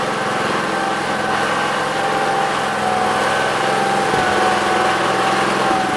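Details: 1969 Gravely 432 single-cylinder engine, next morning at about 15 degrees, first drive after carb float level fix; steady even chug at constant speed, no misses, knocks or surging. Normal running.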